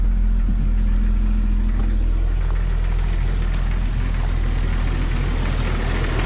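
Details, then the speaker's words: 1997 Jeep Cherokee XJ 4.0 inline-six idling after radiator and rebuilt NAPA power steering pump replacement, wheel turned to prime the pump: deep, steady idle, no squeal or whine; pulley looks slightly wobbly. "Let's turn the wheel a little bit, let that power steering pump up. We may have to get some out of it. Huh. I would have thought that power steering would have squealed some."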